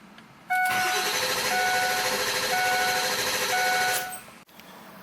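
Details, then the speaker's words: 6.7L Powerstroke OEM starter on 7.3L Powerstroke diesel, tuner pulled so it only cranks: about 3.5 seconds of quick, even spin without slowing, chime sounding; healthy fast cranking. "I pulled out my dp-tuner so it won't start it'll just spin over so let's see how it sounds"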